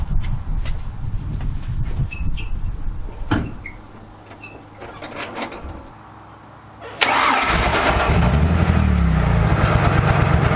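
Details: 1995 Ford F-150 with 4.9 L inline six and a leaky remnant dual Magnaflow exhaust: rattling, then cranks and catches into a loud, uneven idle; running pretty rough, cause unclear.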